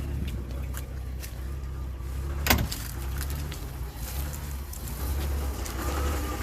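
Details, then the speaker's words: Rambler petrol engine idling with a steady, low growling rumble from worn bearings in the alternator, converted from a generator and not that old; vibration felt through a wooden dowel; car likely to be parked rather than trusted for the trip. "but I can hear that growling bearing noise you can hear it too just unnerves me a little bit"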